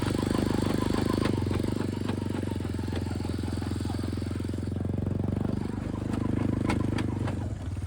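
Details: Lifted Big Red after 3 years of weekly hard mudding, test ride: engine drone with sharp clicks and clunks roughly every second from worn wheel, steering and pivot bearings and a failing U-joint, which then snapped; bearings and U-joint to be replaced.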